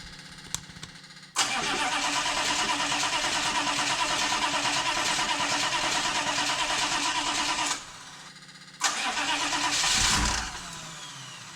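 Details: 1993 Chevy 2500 6.5 diesel, cranking after DB2 injection pump replacement and bleeding air, batteries getting weak: starter cranks steadily about three times a second for six seconds without catching, then again; hard start, later smokes heavily.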